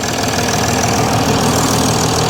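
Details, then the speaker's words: Mercedes ML350 with a rebuilt replacement engine: steady idle with an even clatter, no knock or misfire; sounds healthy. "I'm massively impressed with myself. I'm really happy. It sounds great."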